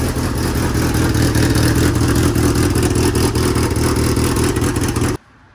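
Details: DSM build, started to inspect pump and belt: engine catches and runs with a busy, even clatter and steady rumble about five seconds, then cuts off cleanly; normal start.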